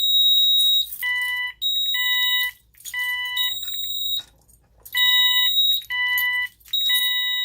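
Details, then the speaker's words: Ademco 6139 alarm keypad, fire zone triggered: loud, high-pitched beeps in short bursts about every 0.8 seconds with brief gaps, the same intermittent pattern as the 6137R; fire zone alarm. "And as you can hear, this one does the intermittent beeping like the 6137R."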